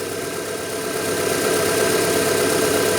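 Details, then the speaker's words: 1997 Rover 200 R3 K-Series petrol, not yet warm (fan not on), after sitting a day or two; steady even idle hum, no obvious knocks, ticks or squeals; brief alternator belt squeal on start. "I can't hear anything really obvious."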